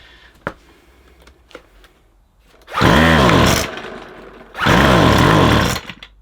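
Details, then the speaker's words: McCulloch 250C XL X-series two-stroke strimmer with a suspected blocked carburettor jet. It won't run off choke, and two short revs burble and sag ("bop, bop, bop") instead of climbing, so it is starved of petrol and running lean. Cause suspected, not confirmed. "That sound, when you rev it, it goes bop, bop, bop, and doesn't rev. That means it hasn't got enough petrol."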